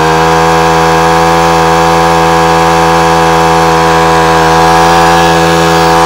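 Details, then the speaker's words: Honda HHH25 four-stroke single-blade hedge trimmer after carburetor clean and new diaphragm (previously cut out at full revs): holds a steady high buzzing rev with no dips or cut-outs. Normal full-throttle run. "so there you go one Honda hh25 now up and running quick carburet clean"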